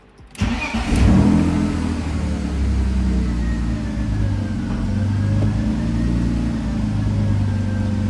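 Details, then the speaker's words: BMW E46 after transmission fluid change, idling in neutral with clutch out; steady even idle with no gear whine, the previous whine in neutral (gone with clutch in) now eliminated. "it's gone the noise is gone yes oh my God thank god dude that noise has been driving me crazy"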